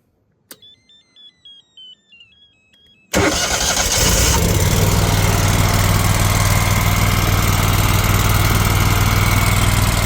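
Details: Walker T23 mower at 300 hours, started after oil change and tune-up (new oil, oil and fuel filters, spark plugs, air filters); a few quiet chirps, catches first try, steady even run with no misses: normal running.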